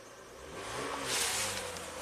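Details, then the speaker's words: 2001 Toyota Avalon 1MZ-FE V6 at 87k miles, with misfire, VVT, O2 and knock codes and a high idle. Started while testing the bank 2 VVT oil control valve, which set its circuit code; it runs very smoothly and fuel trims equalize, pointing to that valve. "Seems like it's running a lot better. Very smooth."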